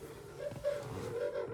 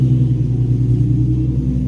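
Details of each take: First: Nissan 350Z left parked for scrap, key on, engine off, after connecting power distribution module: a loud, steady high whine holding near one pitch from the rear; owner suspects the fuel pump is shot or the tank is empty. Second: Free Nissan 350Z parked for scrap, first start with good fuel pressure and voltage, cooling system not connected: deep even idle rumble with no stumble, miss or knock until shut off; engine runs normally.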